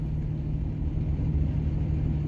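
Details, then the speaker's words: Diesel hotshot truck idling with a deep, uneven, shaky, rattly rumble. Its idle is terrible though it runs well with plenty of power, now running diesel fuel after waste oil was cleared from the aux tank. "truck's been running pretty happily other than idle it idles terribly but you guys will hear it"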